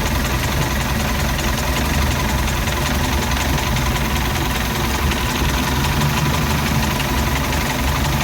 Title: Mercruiser 3.0 rough idle